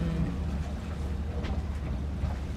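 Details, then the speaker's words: Sailboat auxiliary engine under way, run about 20 minutes before leaving: steady low diesel-type drone with no knocks or squeals; engine running fine and did not overheat, normal running. "Engine is good. Yeah, it's running. It didn't overheat."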